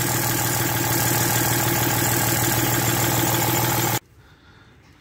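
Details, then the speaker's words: Range Rover L322 after service, vacuum line blanked, bad leak noted on start; idling with constant dragging squeal and whine over fast even pulse, then cut off; belt rubbing over seized, melted tensioner pulley. "we're underneath and that melted mess right there is the tensioner pulley it's actually seized and"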